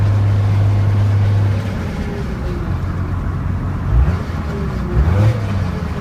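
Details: Dodge 2nd-gen 12-valve Cummins diesel under load: low droning hum with a faint whine rising with revs, heard only under load or higher RPM; blown turbo bearing.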